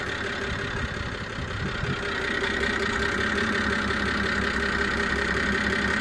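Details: BMW E92 325i at idle with the bonnet open: uneven, stumbling idle with a thin steady screech; began after an engine cleaner, NOx sensor replaced, misfire code now read; owner suspects an air leak, location unknown.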